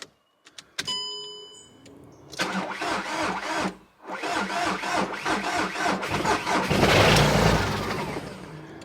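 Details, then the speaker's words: SEAT Ibiza, 135,000 miles, bought at auction, start attempt after new ignition barrel installed: starter churns engine over about four beats a second, uneven and labouring, never catches; rough cranking, no start. "Oh, don't sound good, does it? It sounds awful. Sounds awful. I mean, it turns over."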